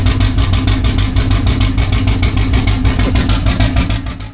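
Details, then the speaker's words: Junkyard 5.3L LS V8 with turbo cam and Gen 4 rotating assembly in a 4th Gen Firebird drag project, first fire-up after rebuild: deep, lumpy uneven idle pulsing about three per second, running on only 4 cylinders; later traced to 4 bad, stuck fuel injectors. "Stuff the engine back in, and then when we went to fire it up, it was only running on 4 cylinders."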